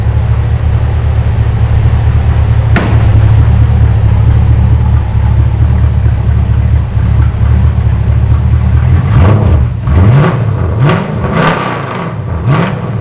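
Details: Custom 1956 Studebaker Sky Hawk on a second start after a transmission swap, smoking; owner suspects old gas and cleaner in the fuel. Lumpy, uneven idle with wavering low rumble and stumbles near the end. Rough running.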